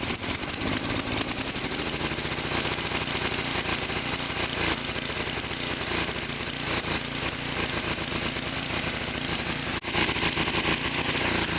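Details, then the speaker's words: Low-hour late-model Tecumseh Snow-King snowblower engine: rough uneven running with skipped beats and a stumble, backfiring and stalling when choke is taken off or under load; misfire and backfire from leaking intake valve. "so as you can see the basic symptoms of the problem were just that the engine doesn't run very well it sort of misses and when you try to take the choke off it backfires and stalls out"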